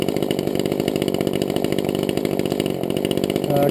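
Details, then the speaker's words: Brand-new chainsaw just started, warming up at idle for 5–10 minutes before full throttle so the piston lubricates: an even, buzzy two-stroke idle with a steady beat and no hunting or misses. It runs healthy. "Faut que tu laisses un peu le temps qu'elle se réchauffe, qu'elle se lubrifie, les pistons et tout. Donc, il vaut mieux la laisser fonctionner à l'aise quelques instants."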